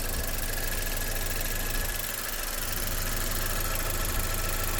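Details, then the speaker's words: 2011 Saab 9-5 NG after new turbo and timing chain kit (old turbo oil-starved, chain rattled previously), hood open: steady smooth low idle rumble, no chain rattle or ticking, remarkably quiet; normal idle after repair. "But it runs really good now, y'all. Listen to this thing."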